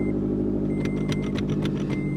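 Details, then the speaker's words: 2013 Scion tC manual at a salvage auction, 131,000 miles, nearly empty tank: catches at once and settles into a steady, slightly throaty idle, no knocking or ticking; healthy start. "she started right up 131,000 mil just a tiny bit of gas left"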